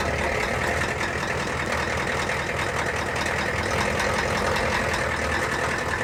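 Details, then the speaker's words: Ford F-350 diesel, cold, heavy idle with loose irregular clatter two to three beats a second; rough idle, raw diesel smell, oil pressure low earlier; owner suspects a bad injector, not confirmed. "it might just be a bad injector that's making it sound like that."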